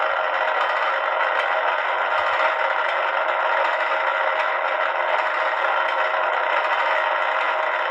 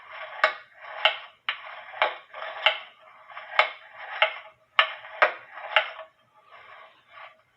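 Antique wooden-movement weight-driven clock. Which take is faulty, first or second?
second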